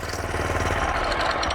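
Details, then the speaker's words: Cheap Walmart motorcycle fitted with a Wish.com turbo, revving hard after reaching 34 mph: a fast, steady hammering beat under a harsh grinding rasp, with sparks seen. The clutch is suspected, possibly something busted off inside, but the source is unconfirmed. "You got some extra noises? I saw some sparks. And I hear some grinding. Was it from the clutch maybe?"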